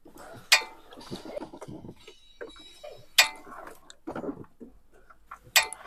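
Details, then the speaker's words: Car braking: sharp metallic clacking at the front as the brakes apply; the pads shift up and down because the anti-rattle shim is missing; fixed by fitting a shim, not by new pads alone. "刚你们听到没有？一踩刹车之后，前面有一个哒哒哒的那个响声。"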